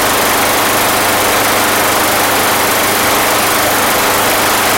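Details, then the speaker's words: Free Craftsman lawn mower with Honda OHC engine that starts and dies, running after valve adjustment: harsh ragged roar with uneven popping and backfiring; owner suspects timing, fuel issue ruled out, spark fine. "and then it just like just hear that that popping in that backfiring I mean that is to me that's like timing all the way"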